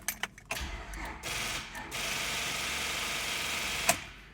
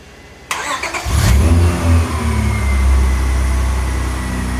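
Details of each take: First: 2001 Honda Accord, no-start in the morning with lights and radio working: one brief crank with the engine kicking over once, then fast steady rapid clicking; weak battery causing rapid starter clicking. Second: 2001 Honda Accord jump-started from another vehicle; brief strong crank, fires right up to steady even idle, voltage dipping only to 11 V, running at 14.5 V.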